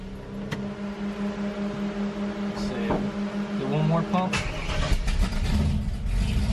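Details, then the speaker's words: 1968 Pro Street Camaro V8 at its first start after sitting three to four months, warming up: it settles into a steady, even idle with a firm low rumble and no knocks or misses; it sounds good. "that's cool and is that what three four months let's let her warm up look at that she sounds good"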